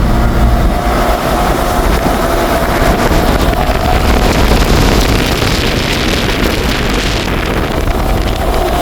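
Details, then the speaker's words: Six-wheel truck recently given a new final drive ratio, on a road test: over heavy wind and road roar a steady mid-pitched howl from the left front wheel; a wheel bearing or a tyre is suspected. "ล้อหน้าซ้ายนะครับหอนตอนนี้หอนเหมือนลูกปืนเหมือนล้อจะหลุดเหมือนเหมือนยางนะครับความรู้สึกเหมือนยางเสียเลยนะครับ"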